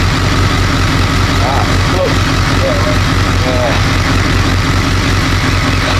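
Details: BMW K1200 R, previously rough and cutting out, after diagnostic reset of injection adaptation values: fairly even idle under voices and street noise, warm at just over 100 degrees with fan on; roughness gone, slight clutch rattle.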